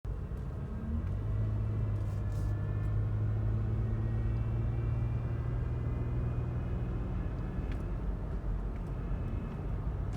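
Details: 2017 Toyota Highlander, UA80F 8-speed automatic, cruising: a steady low whine over road rumble that holds through several gears and ranges. The owner suspects the final drive; the reported fix is full transmission replacement.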